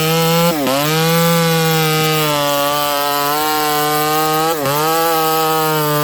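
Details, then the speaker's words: Ported Homelite 922 chainsaw after clutch and fuel line repair and cooler heat-range plug, cutting very hard wood: loud high two-stroke wail holding steady, dipping briefly twice under load and recovering cleanly; healthy cutting. "It's a work saw and we're doing work with it. This stuff's really hard, friends. Like, really hard."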